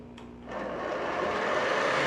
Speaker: well does your nespresso virtual line sound like mine when it's making a cup of coffee well it's probably due to a bad bearing